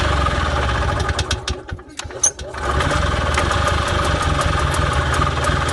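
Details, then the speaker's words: Columbia Parcar golf cart engine with the choke on. It sputters and nearly dies around two seconds, then catches and settles into a steady, even putter at idle. Engine running. "Anywho, alright, so there's life. That's good. That's good. Very good."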